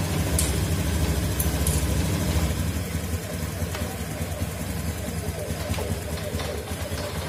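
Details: Motorcycle engine at idle after compression testing: steady, even low putter with no ticking, knocking or stumbling; runs cleanly.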